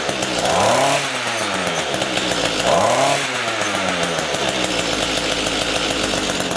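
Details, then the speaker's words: Small two-stroke rototiller engine after winter storage with fuel left in it, which would not run off choke; after carburetor cleaning it runs with buzzy rev surges settling to a steady run, pulling cleanly off choke, before low/high mixture adjustment. "cool looks like we did the trick there now what we need to do is adjust those two screws"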